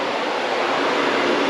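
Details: 1995 CD5 Accord with H22 swap, tucked radiator and homemade fan shroud, fan run by shorting its connector: steady, even airy rush with no rattle or ticking throughout the short run; radiator fan healthy.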